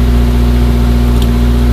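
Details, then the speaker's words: Suzuki Samurai SJ413 1300 (JA51) at first start after fitting a Toyota Corolla 3K-C 1.2L carburetor, choke on, fuel fed from a funnel: even, steady low hum with no misses or hunting. Runs pretty good; normal idle. "yeah it runs pretty good"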